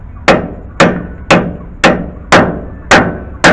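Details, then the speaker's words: 2007-2013 Chevy Silverado/GMC Sierra 2WD rear wheel bearing replacement, race hammered into bore taper side first: seven sharp strikes about twice a second turning short and hollow; race fully seated, bottomed out. "See how it's going in smoothly? So that's what you want to do. There we go. And you should hear the difference, like a little hollower."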